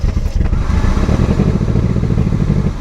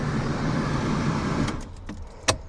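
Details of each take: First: Barn-find Mercedes 190E after years off the road, first restart: loud, deep, blatting rumble swelling with revs, far coarser than stock, like a tractor; exhaust leaking through a holed rear resonator. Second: Barn-find Mercedes 190E, not run properly for years, key cycled before starting: steady low electric hum for about a second and a half then clicks, the fuel pump priming normally.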